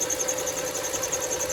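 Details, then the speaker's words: 2.7L V6 Kia Rondo at quiet idle, before repair: high, thin chirping squeal pulsing rapidly and evenly; owner suspects a squeaky tensioner or idler pulley, belt probably due. Cause suspected, not confirmed. "Wife's 2.7 liter Kia Rondo again that we got in here. And we're going to, we got a squeaky tensioner, I think, or either pulley."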